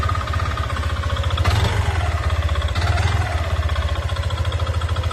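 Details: Yamaha Nmax v2 scooter engine idling with a steady, rapid knocking that briefly quickens with two small throttle blips.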